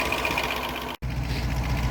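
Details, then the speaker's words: 1972 Range Rover A-suffix V8 idling at about 800 rpm: a light, quick tappet ticking over the engine rumble, still unresolved. "Less happy with these tappets. As you can hear, they're still ticking away."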